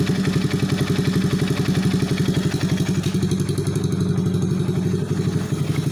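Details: Alfa 110 engine after new cylinder head, full piston/cylinder set, timing chain, hydraulic tensioner and clutch: steady idle with sharp clattering tap on every beat, about four a second; knock of unknown origin.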